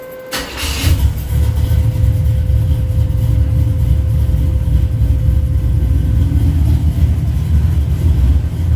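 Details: Car just back from wiring and undercarriage work, with a newly fitted electric fuel pump and dual fans: short crank, quick catch, then a steady, even low rumble with no misses or knocks; starts and idles healthy.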